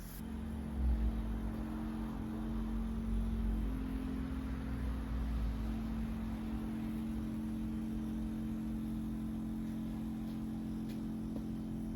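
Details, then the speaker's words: Rolls-Royce Corniche convertible that sat 14 years, ignition on with engine off, low fuel: low, steady whirring fuel pump hum; owner thinks it's working overtime from too little fuel and may add a couple of gallons. "It sounds to me like the pump's working overtime because there isn't quite enough juice in it."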